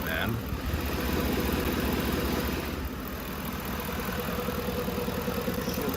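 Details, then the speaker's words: 2011 Lincoln Navigator (Expedition) with aftermarket calibration, warming at idle commanded near 600 rpm: uneven, loping idle with irregular low thump about 2.5 per second and steering-wheel shake; suspected misfire on one bank, shudder at stops. "shaky shaking a little bit let's check that uh we're still asking for 600 here let's check power balance it's a little shaky in the steering wheel you see what i mean"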